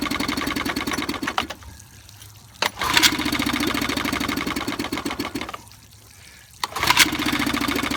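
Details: 1955 Evinrude 7.5 hp fleet twin outboard under restoration (new coils, cleaned/replacement carburetor, single-line fuel conversion): fires in short ragged bursts, dies after a second or two, catches again; won't keep running long enough to adjust the needle.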